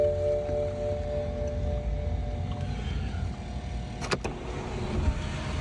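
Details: BMW 118i turbo (non-runner, reported no compression) awaiting B58/M140i conversion, sunroof tested on battery power; smooth, even electric whir winding down cleanly with no grinding or catching; normal sunroof motor operation.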